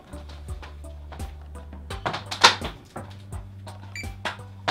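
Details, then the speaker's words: Comfort Zone CZ2011C infrared heater, plugged in after replacing the thermal cutoff (TA-07, 130°C) for a keeps-shutting-off fault: single short high beep amid handling clunks; normal power-on beep, unit has power. "a beep that's a good sign all right we at least got power"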